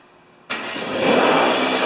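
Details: Husqvarna snow thrower after governor repair, rpm set at 3800: starts instantly without choke and settles into a steady, even high-speed run; healthy engine holding governed speed.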